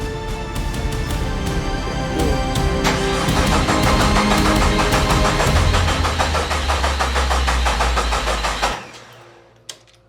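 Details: 1972 Jeep Commando with swapped 2000 Cherokee 4.0 straight six: starter cranks steadily, about three turns a second, under music, but never fires, since the coil pack is unplugged. Crank, no start.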